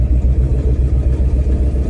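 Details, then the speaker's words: LS V8 truck with big cam, after drilling throttle body blade: deep even rumble lugging around 10 mph in 4th gear, no surging or bucking, pulls smoothly; owner may enlarge the hole slightly more. "I love it like that. It didn't really buck."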